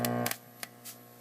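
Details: Atari Asteroids arcade machine just switched on after reconnecting the monitor: steady low buzz with a few soft clicks, a pretty good hum in the audio. Source not yet traced; the owner can live with it for now.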